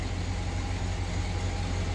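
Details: 2004 Chevy Silverado 6.0L V8 at idle after Motomatic motor flush: steady, even low idle, no more ticking or clicking, quiet valvetrain; clicking stopped about two minutes after treatment, normal idle.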